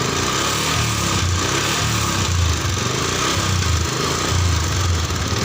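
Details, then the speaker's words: Yamaha Jupiter MX New 135 with a vacuum carburetor, unserviced for about 6 years, owner reports white smoke: idle smooth, but under throttle the engine wavers and stutters (brebet); carburetor cleaning and spark plug replacement planned. "Ini langsangnya masih terlihat normal, mulus ya kalau kondisi langsam, tapi kalau digas dia mulai berebut."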